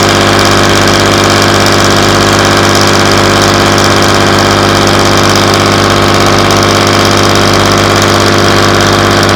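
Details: Class 117 DMU 51412 diesel, first start in 5 years after bleeding fuel air via the hand lift pump: low, steady idle at about 500 rpm, even beat, no misses or knocks; healthy.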